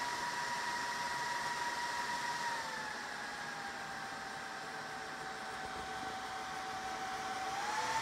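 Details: Dell PowerEdge R210 server power-up: steady loud rush with a high fan whine that eases lower, then climbs again at the end; normal fan ramp at start-up.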